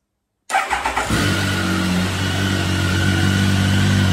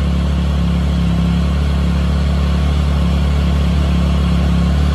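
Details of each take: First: Triumph Tiger 1050 during revival with new electronics installed, before throttle body balancing, TPS unplugged and engine light on: quick cranking pulses, catches at once and settles to a steady, even idle without misses; strong, healthy start. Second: Triumph Tiger 1050 after initial start with new electronics, balancing throttle bodies via TuneECU: steady deep idle with faint uneven pulse; two throttle bodies out of sync with the third, adjusting from cylinder one.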